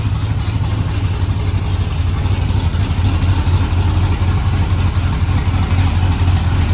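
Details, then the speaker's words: Truck engine at its first start-up, idling on open headers with no exhaust fitted: a loud, uneven low burble that lopes and stumbles. The engine is running rough, and it is going on the lift to fix this. "it's still running like junk because it's still open headers but that's why we're putting it on the lift to fix that"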